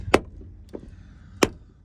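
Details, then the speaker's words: Ford Transit Mk8 door: sharp metallic clicks each time the door opens, owner suspects loose bolt in door fixing, fixed by tightening T40 bolt. "okay so basically the issue is every time we been opening this door this horrible click in"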